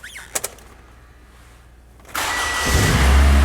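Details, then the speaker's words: 2012 Toyota Camry 2AR-FE after repair of the upper timing chain guide, cover fitted, engine not yet warm: it starts quickly and settles into a smooth, even run with no grinding or rattle. "Well, didn't really do it. [Music] That's much better. I like how that sounds good."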